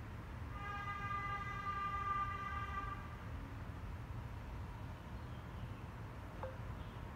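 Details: Genie garage door opener, recorded up close at night: a loud, steady high-pitched squeal rides over the opener's motor rumble as the door travels, then fades. The door squeaks badly.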